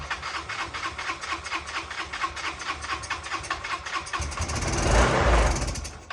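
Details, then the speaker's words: 2009 Yamaha Vino 125 scooter, 36 miles, sat unused for years, airbox off with carb spray: small engine pops and chugs unevenly, two to three beats a second, flares and dies; runs only on spray, carburetor needs cleaning. "and there you go so I think get that carburetor off get it cleaned up and this thing should be good to go"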